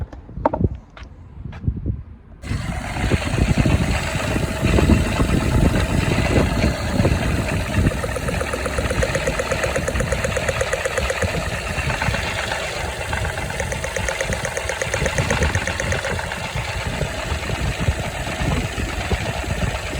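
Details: Toyota Aygo/Citroen C1/Peugeot 107: after a few clicks the engine starts and idles with an uneven, stumbling pulse; engine light on, power loss, cylinder misfire from a burnt ignition coil, replaced.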